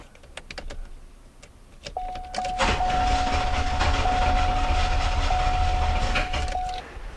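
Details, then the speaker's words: 1991 or 1992 Oldsmobile 98, compression test while cranking with the air intake partly blocked; even starter cranking at about three and a half beats a second with soft, weak compression strokes; much lower compression from restricted intake air. "Okay, so as you can see, we have much, much lower compression when we take air away from the engine."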